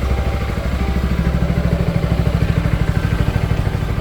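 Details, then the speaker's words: Yamaha XMAX (old model) idling at 1500 rpm with a custom cross-cut clutch bell, Daytona double clutch pads, 1500 rpm centre spring, 15 g rollers, 13/8 final gear: steady rattly clatter about three beats a second from the cross-cut clutch bell. "Ini bunyi. Karena di kartel jadi bunyi dia, karena ini gitu loh. Beda deh ada bunyinya."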